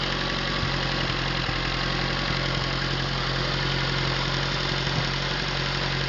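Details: Atomic 4 inboard engine overhauled last summer (new pistons, rings, valve springs, plugs, wires, higher-flow water pump), run unloaded without choke on a test stand for a 17-foot homemade wooden boat, alternator off: even hum, faint occasional ticks, no knocking or stumbling; normal idle.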